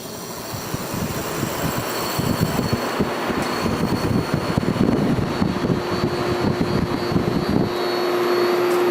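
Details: 1973 Whirlpool 6,000 BTU air conditioner after fitting a new Dayton 15+3 µF 370 V capacitor (old one made the compressor hesitate to start), on low fan, thermostat full cool: steady fan rush, low compressor rumble, clean hum, no rattles; running properly.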